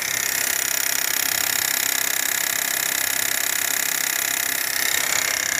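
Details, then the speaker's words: 2023 Renault Duster direct-injection engine, 44,000 km, microphone held at the high-pressure fuel pump: fast even ticking of three or four clicks a second over the engine from a failing high-pressure pump, later replaced. "Bomba de alta da injeção direta, dando muito defeito."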